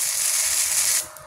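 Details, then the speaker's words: Cheap MIG-MMA/TIG 160 welder doing gasless flux-core MIG with the ground clamp on positive, torch negative; about a second of harsh uneven crackling hiss with spatter beads that don't fuse, reversed polarity. "Nah kita lihat las mig tanpa gas hasilnya hasilnya di sini ada percikan-percikan buliran-buliran kecil buliran-buliran kecil ini tidak menyatu dan tidak menempel kurang bagus hasilnya"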